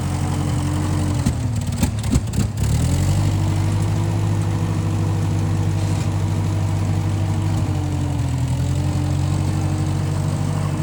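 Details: 1955 Massey Ferguson MF65 tractor, run after sitting a couple of years, carb cleaned; owner thinks the Marvel Schebler carburetor needs slight dialing in. Low, even four-cylinder thrum holding steady after a brief blip, no misses or knocks: normal running.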